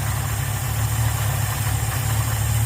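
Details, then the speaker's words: Ford Fairlane V8 with a newly installed Holley two-barrel 500 CFM carburetor (replacing a 350 CFM) and a manual choke, warm at about 800 rpm: deep, even, smooth steady burble with no stumble or miss; healthy idle. "That's a Holly two barrel 500 CFM. And listen just how smooth that thing is running."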